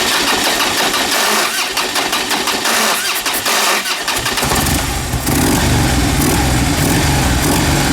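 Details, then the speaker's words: Fuel-injected Harley-Davidson V-twin that would not idle and threw P0152, started right after the throttle body and butterfly were cleaned with intake cleaner; about four seconds of quiet cranking, then it stumbles and catches into a loud, uneven idle, expected to be flooded. "We're going to start it up. This might be fun. It's going to be flooded now, but it'll go."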